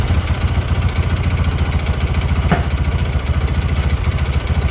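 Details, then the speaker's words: Karisma 125 fitted with a swapped Yamaha R15 V3 engine, after months of daily riding: single-cylinder idle with a fast, fairly steady patter of three to four beats a second, rougher and louder than it should be; noisy engine. "ternyata ganti mesin itu bukanlah solusi jangka panjang untuk menghilangkan suara berisik di di mesin ini atau di motor Karisma ini"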